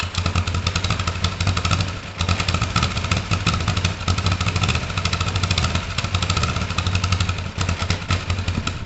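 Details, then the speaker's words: Kawasaki ER5 parallel twin, first start-up after carb clean, new plugs, not yet on its normal fuel system: idles fairly steadily but drops a stroke now and then, slight misfire; owner suspects the coils or wiring, not confirmed. "Slight misfire. I mean, sounds better now."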